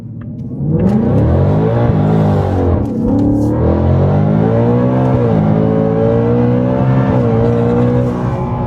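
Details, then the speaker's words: In-car hard pull from low revs, Whipple Stage 3 supercharged Super Snake with new carbon fiber intake and larger filter boxes: pitch climbing through gears with brief dips at shifts, supercharger whine on top; normal acceleration. "There we go. That was a good pull."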